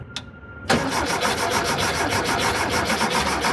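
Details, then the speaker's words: 1973 VW Thing with a swapped-in VW Beetle engine: starter churns steadily for several seconds but it never catches; both fuel pumps not working well, a broken check valve suspected; cranks but won't start. "so we got two fuel pumps both of which aren't working out so well"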